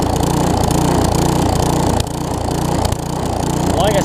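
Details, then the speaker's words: Newer Tecumseh vertical-shaft engine on a 20-inch weed trimmer after generic aftermarket carburetor replacement: buzzy single-cylinder note swells and sags about three times a second unloaded, smooths when trimmer engaged; surging, cause unconfirmed. "i went ahead and replaced this but you will hear this thing does surge and like i said it's because there's no load on the engine whenever it's running until you engage the weed trimmer portion of it"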